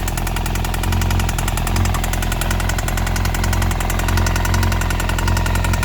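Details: 2002 Yamaha YZF-R1 after a year in storage: steady idle with fast, even metallic top-end rattle; EXUP and exhaust manifold bolts checked, new cam chain tensioner didn't fix it; cause not found.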